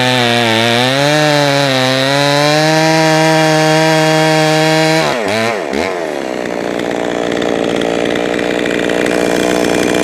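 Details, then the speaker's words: Jonsered 525 chainsaw, freshly fired up and tuned: screams at steady high revs, then stumbles and wavers as throttle drops to idle; hesitation off throttle means a lean low-speed mixture, so more low-side fuel and idle screw are added. "the way that it hesitate off the throttle that tells me that it's got uh it's too lean on the low side so I'll give it a little bit more fuel on the low side"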